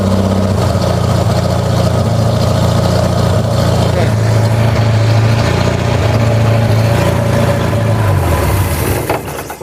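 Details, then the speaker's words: Vanette engine with a new extractor and a freshly serviced carburetor being tuned, lower exhaust pipe not yet connected: deep, loud, raspy unmuffled rumble at a lumpy idle. "Tengok ekzos bawah tak sambung lagi ni. So bunyi dia akan macam bunyi Mustang Poyor lah."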